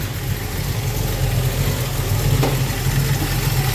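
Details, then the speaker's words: Ford Falcon small-block 302 V8 restarted after the carburettor corner mixture screws were returned to the original setting, about one turn out: lumpy but steady big-cam idle, slightly rich. Normal idle. "okay back to a good idle little bit of Ric okay"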